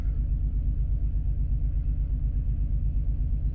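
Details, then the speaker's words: Six-cylinder petrol engine at idle with a lumpy, rhythmic stumble of about three beats a second after swapping the cylinder 2 and 3 coils to chase a cylinder 3 misfire; the misfire persists and the engine shakes heavily. "Okay, let's fire up and see what happens. So we've got a misfire again,"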